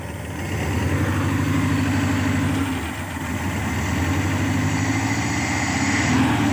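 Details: Engine started after setting and replacing contact points (platina), timing set about 8 degrees before TDC, rotor and coil plug lead refitted, air filter off: steady even idle, smooth low beat, no misfires; running cleanly.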